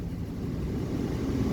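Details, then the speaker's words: 2006 Nissan Titan blower, after cleaning the VBC blower control module (PP-TD20) that only worked on one speed: strong steady rush of air at full speed with even low hum, no squeal or ticking; normal blower operation. "Boom. Damn, I'm blown away right here. I have never felt the air blow this hard in this truck since I bought it."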